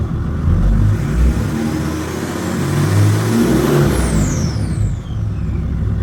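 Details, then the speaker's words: Mercedes W211 E320 CDI, OM648 diesel, 106,000 on the clock, engine hot: smooth climb under a blip with strong intake rush, settling back cleanly, no knocks or rattles; healthy engine revving. "It is hot, so there's no uh no cold start. The intake sounds really good on this car, though."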